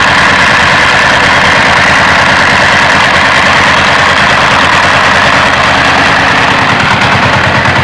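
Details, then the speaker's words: Single-cylinder diesel (rice husk mill engine), unloaded: heavy thump about three beats a second with breathy chuff at the air filter; broken inner valve springs no longer close the intake valve, air leaking; also heavy smoke, worn rings, low compression. "Untuk itu suara yang dominan kedengaran di klep hisap itu dikarenakan oleh per ini ya guys. Per ini tidak lagi bisa mengencangkan klepnya ya guys, sehingga menyebabkan ada kebocoran udara"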